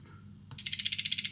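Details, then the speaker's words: Air-conditioning expansion valve on a test rig, driven by button press: fast, even ratchet of crisp clicks about sixteen a second, then stopping, the stepper normally turning the shaft open. "我们移除这个，我们放另一个看看连接器是否可以修复保持在这里，我们听到阀门的声音，"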